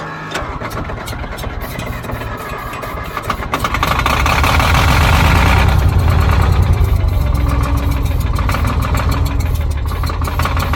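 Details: Old Caterpillar D6 dozer diesel on fresh batteries: slow, steady cranking about three turns a second with no firing; not getting fuel, closed fuel shutoff suspected.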